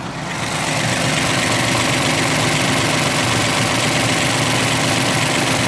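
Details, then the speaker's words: Ford F-150 with about 104,000 km at warm idle: light, quick tapping about four a second, louder on one side; owner suspects a valve, says tapping was worse earlier and fades when warm, cause unknown. "It is much quieter on this side though. If we go over to this side, you can definitely hear there's a bit of tapping."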